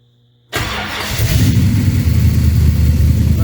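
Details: 1973 Corvette V8 with newly installed Sniper system, coolant still percolating with air bubbles: quiet, then the engine catches at once and settles into a steady, even idle with no stumble; normal start and idle after setup problems.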